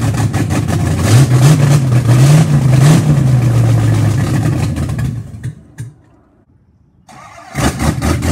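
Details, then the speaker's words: Car engine the day after camshaft break-in and idle timing set, idle raised about 100–200 rpm; catches at a fast, lumpy, uneven idle, dies when revved and restarts; rough idle, owner suspects a vacuum leak. "now go to start it up today idles real rough off the start I did a little higher than it was before to maybe buy like a hundred two hundred rpm and then everyone Revit Revit give a gas and then just die"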